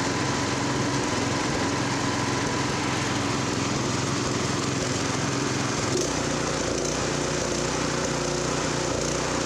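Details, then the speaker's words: Honda F501 tiller with new offshore GX clone replacement engine, no load, max throttle set to 3590 rpm; slow uneven rise and fall, governor hunting, surge suspected from running slightly lean. "35.90 that's perfect it's got a bit of a surge I think it's still a little bit lean got a governor hunting a little bit"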